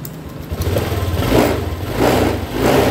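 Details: Honda Vario 125i with MIL on and stalling, just repaired by fixing a broken, peeled CKP sensor cable, before the manual TPS/ECM reset: idles fast and uneven, swelling and dropping about every two-thirds of a second; idle too high.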